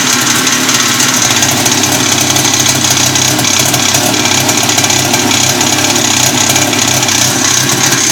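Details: Abnormal engine noise from an RMZ-500 two-stroke: busy, high-pitched clatter with a faint fast ticking over a steady run; source of the extraneous noise not identified.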